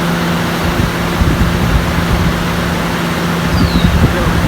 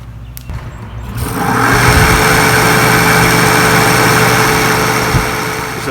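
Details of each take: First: RV roof air conditioner after replacing the loud fan motor: smooth, even hum with steady low drone and no rattles or scraping; new fan motor running quiet and healthy. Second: RV rooftop air conditioner with covers off, fan motor running: spins up to a loud, steady whirr with a rough, dry hum on top; dried-out motor bearings causing the noise, expected to eventually fail.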